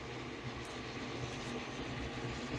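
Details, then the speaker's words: Creality CR-10 with a BTT SKR Mini E3 V1.2 board running Ender-3 firmware and config, though the CR-10 steppers are bigger: a loud, rough, steady buzzing drone from the motors while printing because the stepper settings are not right. "you can hear how noisy the motors are on this because the step stepper settings aren't right or aren't as quiet as they could be"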